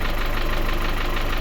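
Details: Engine at cold idle after hydraulic lifter cleaning; owner reported hard knocking on cold mornings, less or none warm. A light, even tick remains on each firing pulse; one hydraulic lifter is suspected to still need replacing, though the engine otherwise runs well.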